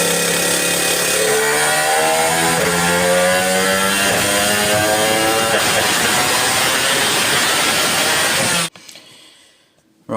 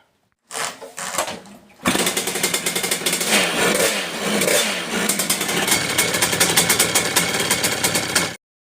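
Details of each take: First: Two-stroke motorcycle with Ignitech ignition revs with a rough stuttering note, misfiring when coming onto the pipe; owner suspects the pickup, its wires looped next to the coil wire and lacking an earth. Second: Two-stroke motorcycle with Ignitech ignition, after retiming pickup, crackles to life and revs hard and steady with no dropouts; previous misfire coming onto the pipe is gone.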